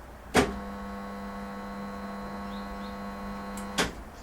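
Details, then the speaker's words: Swimming pool filtration pump motor: steady low electrical hum for about three seconds between two clicks, no spin-up; won't start, possible causes are a defective capacitor, seized motor, or winding fault. "la banque ne démarre pas trois solutions le condensateur ici à l'intérieur qui est défectueux ou bien le moteur peut être grippée bloquer ou bien il ya un problème sur le bobinage du moteur"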